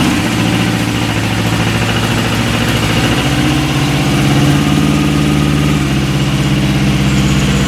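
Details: Westwood lawn tractor's Ruggerini twin-cylinder air-cooled vertical-shaft diesel, previously hydrolocked, running after repair with new starter motor: even, steady low chug with no knocks or misses; sounds healthy.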